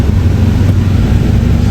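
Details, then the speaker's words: Honda Civic LXi automatic: the idle drops further when the lights are switched on, to roughly 400 rpm. The loud low drone sags noticeably. The owner had fitted a different idle air control valve, and the faulty IACV lets the idle fall under electrical load. "Pag binuksan ng ilaw dumagdag ang bagsak. Ang layo na. Lagpas. Mga 400 na lang siguro to."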